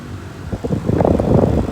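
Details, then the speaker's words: 120 VAC refrigerator evaporator fan motor (Electrolux/Frigidaire-type, reversible) on diagnostic test three: low steady airy rush building over a second, solid airflow out through the baffle, no rubbing or ticking; normal running. "nice solid airf flow coming up and it's coming out through the baffle right here"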